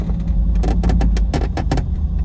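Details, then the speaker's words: Hemi V8-swapped Jeep JK with front automatic locker, turning in four-wheel drive on a steep snowy incline; sharp, rapid clicks in quick bursts over low driveline rumble, the auto locker ratcheting normally while biting well. "These auto lockers are great off-road for snow. They can get pretty annoying when you're in the parking lots of like Walmart and stuff."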